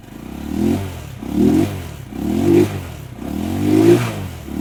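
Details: Rusi Macho 175 after water was cleared from tank and carburetor: four crisp throttle blips about a second apart, rising and falling cleanly without sputter; normal revving.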